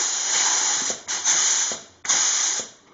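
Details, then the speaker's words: Rebuilt Hydramatic transmission reassembly, air test of front clutch piston through case hole: compressed air hisses steadily, then a soft click as the front piston strokes and locks the hub; engages normally. "Pistons are inside the hubs. Now this one, hopefully you can hear it engaging. Here's the front."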